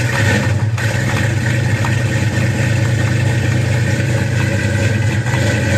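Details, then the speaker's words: 1966 Mustang GT fastback V8, four-speed, cold start right after a fresh exhaust replaced the mostly original system: deep, steady burble with a lazy even lope and a clean rise on the blip; normal, healthy idle. "this is a cold start we're going to hear the fresh exhaust it'll sound like the exhaust that was on there before because it was not that bad"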